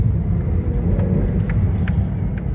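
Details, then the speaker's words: Low-mileage Toyota MR2 stood since early Covid, running on old fuel, clutch slightly sticking: deep even engine rumble building smoothly under load with no knocks or misses; pulls cleanly. "picking up really nicely really nicely considering like say it's old fuel"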